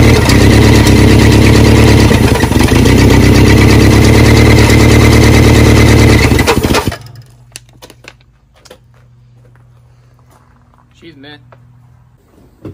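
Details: Barn-find 1979 Honda Prelude (sat for years) on its first start, fed gasoline from a water bottle. Runs rough with a steady knock about four per second until it dies. Owners call it a bottom-end rod knock, likely why it was parked.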